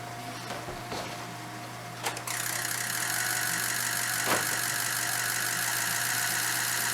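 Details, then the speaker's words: 2006 Ford F350 diesel after oil and fuel filter change, air bled by cycling key on 30 seconds six times: short crank, catches at once and settles into a steady even idle, no stumble; normal start. "okay so everything looks good uh she started right up"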